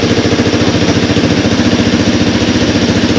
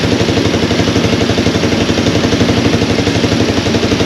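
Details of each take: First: Honda TRX200 ATV, bought seized after running low on oil. Carb not yet removed or cleaned. Steady, even single-cylinder idle with a regular beat and no knocks or misses: normal idle. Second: Honda TRX200 ATV, about 40 years old, revived after being parked low on oil, running without a battery: even single-cylinder idle thumping about four times a second with a light metallic clatter on top; slight valve rattle from the top end.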